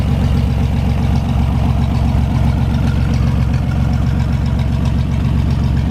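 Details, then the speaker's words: 1973 GMC 432ci V6, pulled from a parted-out truck in 2019 and unstarted for almost five years, run on a fuel can after prep: deep, steady, even-firing idle with no knocks or misses. Normal idle. "it's really great to hear this thing run after having it for almost five years now one heck of an engine absolutely love the way these v6s sound"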